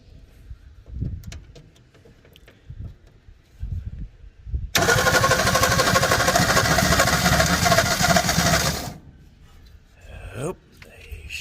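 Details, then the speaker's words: 1961 Ford Falcon Futura straight six parked 20 years, cranked with a little fuel poured into the intake and ignition connected; slow cranking, then ragged uneven roar for a few seconds before dying; only two or three cylinders firing. "this sounds like there's gonna be about maybe two or three cylinders hitting and firing there"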